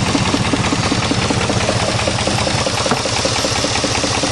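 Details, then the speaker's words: 1988 Chevrolet truck V8 before cylinder testing: uneven, lumpy idle with a loping beat about two and a half times a second; running rough on dead cylinders. "well she still running like [ __ ] so let's figure this"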